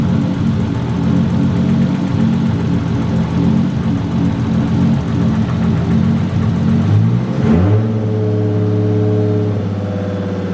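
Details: Freshly rebuilt forged Toyota 1.5JZ, first start after the rebuild (a broken vacuum line had caused heat and a lean run), good oil pressure, coolant not yet bled: revs rise smoothly and drop back to an even idle; running pretty good.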